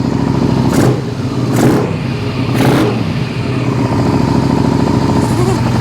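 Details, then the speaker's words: 2001 Suzuki SV650S V-twin fed from a remote IV-bottle fuel supply: steady lumpy idle with short blips and no missed beats. It is running on both cylinders, with carb sync very close. "yeah it's running on both cylinders coming off the IV bottle"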